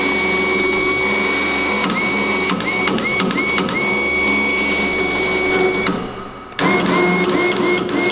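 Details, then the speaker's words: Electric winch newly mounted on a car trailer, first test winding in cable: steady high motor whine with irregular sharp clicks, suspected play somewhere in the winch. Clicking under load. "liksom så här klickar Hör ni det det är inte jag utan det är något glapp eller något tror jag"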